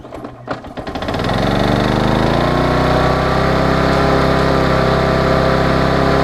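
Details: Vulcan 18" mower's 3.8 horsepower two-stroke, after freeing the rusted flywheel from the magneto and fitting a new intake pipe, catches after a couple of pulls and settles into a steady, even buzz without misses or surging; runs clean.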